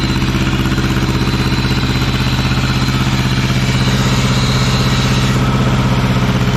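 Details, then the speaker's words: 1950s barn-find Schramm air compressor engine, poor muffler: loud, steady low thumping about three beats a second with rough exhaust edge; can't keep rpm up after the unloader kicks in, bogs under compressor load. "therein lies the problem it's like it can't keep the rpms up after the unloader kicks in"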